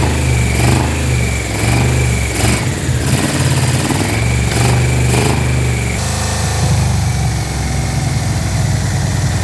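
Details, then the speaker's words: Barn-find Yamaha Vmax first start in years after fuel system and wiring repairs, running without an airbox: deep, lumpy idle with sharp clean throttle blips, a bit loud from no intake restriction, but healthy and sounding better. "I mean, for not having an airbox, it's not bad. Yeah. You know, having a little bit of drag helps. The engine sounds good. It's starting to sound better."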